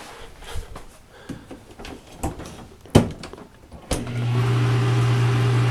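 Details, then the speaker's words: Dishwasher after its stuck motor fan blades were freed by a push: door clicks and thumps as it latches, then the motor starts with a steady, even low hum instead of buzzing. Normal start-up. "once you do that it'll unlock it and it should start up right when you lock it"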